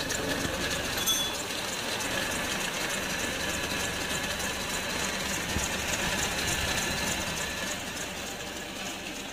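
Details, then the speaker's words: Honda Odyssey at idle, located with a mechanic's stethoscope: light quick tek-tek ticking about three a second from the aged serpentine belt tensioner; oil had dripped onto the belt. "Kalau bunyi yang bunyi tek-tek itu dari sini Tensioner nyinyir panbelnya dia udah lama biasanya ia bunyi"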